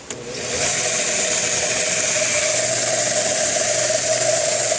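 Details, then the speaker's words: Homemade belt sander/grinder built from shop parts, switched on: a click, then a steady, even high hiss and whir with no slapping, and the belt stays on though slightly loose. The sander runs normally. "And that's it. And it's running just fine, and notice that the belt is not coming off."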